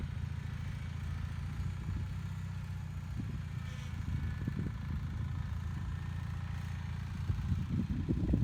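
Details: Bolens HT20 garden tractor on a test drive after repairing a flat rear left tyre; low, steady thump under light load on the move, no knocking or stumbling, engine running normally.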